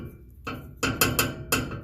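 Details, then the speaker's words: 1979 Jeep J20 truck with no rubber hangers on the exhaust system: five sharp metallic clanks in two seconds as the loose exhaust pipe knocks against the chassis. "There aren't any rubber hangers on this exhaust system, so when I start it up,"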